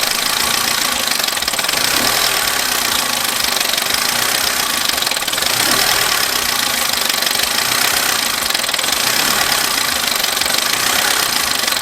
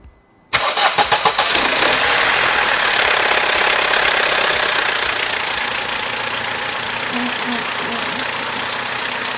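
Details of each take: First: Abandoned Vauxhall Corsa engine idling before any repairs, with dash warning light on: harsh, uneven clatter and knocking over a hissy, rattly idle; running rough. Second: Vauxhall Corsa after repairs, with the dash warning light now off: the engine cranks and catches, stumbles briefly rough, then settles into a smooth, even, normal idle.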